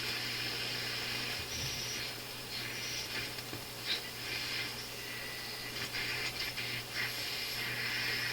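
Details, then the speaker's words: Philips console stereo tube receiver on first checkout, tubes not yet touched, likely on AM: constant loud hiss with irregular crackles and pops over a low hum and buzz; cause not yet traced. "You hear some crackling. Oh, this is not very good."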